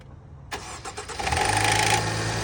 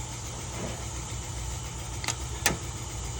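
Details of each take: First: Range Rover Evoque with a harsh metallic timing chain rattle at start-up that carries into the first seconds of idle. The fix replaces the timing chain, oil pump, tensioner, sprockets and cam/intake parts. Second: Range Rover Evoque petrol engine after timing chain, tensioner, sprockets and oil pump replacement, fresh oil, 34 degrees outside: smooth, even idle with no timing chain rattle at start.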